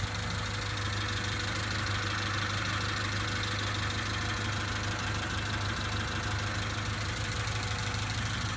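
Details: 1991 Honda Accord petrol engine after head replacement, zero compression fixed by oiling cylinders (now 60-110 psi): steady, even idle with soft regular pulse, no knocks or misses; running smoothly, smoky for about 20 minutes.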